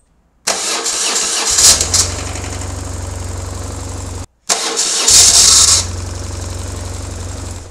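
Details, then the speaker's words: BMW R1150GS starting twice: the starter's high whir keeps spinning about half a second after the engine fires, as the engine turns the hanging-on starter. Fix planned: remove the starter and clean it. "I've got a reissue when I'm starting the bike um the starter motor sort of hangs on and you can hear the storm or getting turned by the engine once the engine started"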